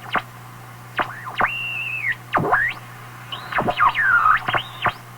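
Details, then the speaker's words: Marconi 201A AM/shortwave radio weak on shortwave, tuned around 18 MHz at full volume: whistles sweep up and down over a low hum, with a hollow ringing. Owner suspects an internal oscillation or regeneration that the volume control influences, unconfirmed. "that's got to be some internal thing I think in the radio you can hear that Hollow ringing sound again"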